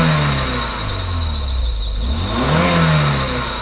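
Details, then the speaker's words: Mercedes W201 2.5-16V manual, long-stored, after fuel distributor rebuild, run from external fuel tank: engine revs up cleanly, drops back and climbs again smoothly without misses or knocks; high rpm normal. "High speed is no problem."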